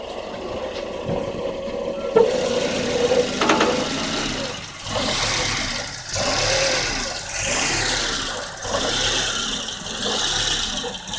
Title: 1994 Volvo 940 hard start/rough idle